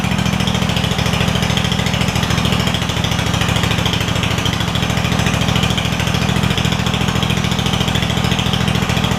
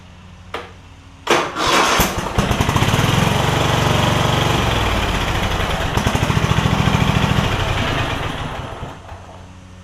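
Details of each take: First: Craftsman DYS4500 mower with Kohler Courage V-twin after swapping 12V ignition coil to traditional coils; loud, raspy, slightly puffing exhaust note at idle from a small exhaust leak on the bottom. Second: Craftsman DYS4500 mower with Kohler Courage V-twin, after swapping the 12V ignition module to traditional coils: engine revs from low idle, holds a steady drone, settles back smoothly; running normally on both cylinders; small exhaust leak on the bottom.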